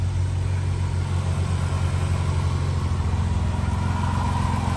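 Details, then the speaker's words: Jeep JK 3.6 V6 with over 100,000 miles, idling just after an oil change to Royal Purple: a steady, smooth low idle with an even pulse and no ticks or knocks; it sounds slightly smoother than before. "got it all started up, got it filled up, oil's all changed. It already sounds like it's running just a little bit smoother."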